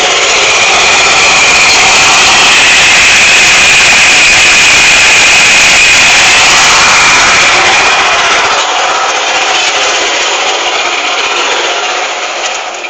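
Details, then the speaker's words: 2004 Nissan Xterra supercharged 3.3L V6 with M62 supercharger, serpentine belt reconnected to supercharger, alternator and water pump: loud harsh rattle at idle, louder than with belt off; owner suspects supercharger, unconfirmed. "that's the sound of my supercharger when it was connected"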